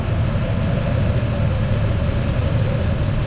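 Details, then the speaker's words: 1986 Chevy C10 with HEI distributor, sat a couple years, revived after fuel system check: deep, even V8 rumble holding steady with no knocks, ticks or misses; strong normal running. "for an 80s 1986 that's pretty impressive he's a strong Runner"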